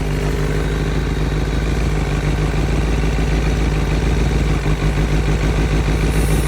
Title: Seems to be a vacuum leak ( Somewhere ) ?